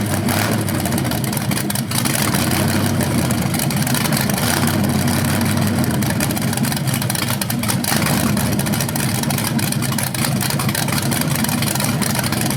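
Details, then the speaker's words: First run of a BluePrint 396 big-block crate engine on a stand outdoors for a 1970 Camaro SS, with headers, oil primed and timing checked: deep, steady, even rumble with clean throttle blips, no knocks or ticks; sounded good, though revving sounded different, possibly headers or flywheel. "First run of the engine. It sounded good. I don't see anything leaking."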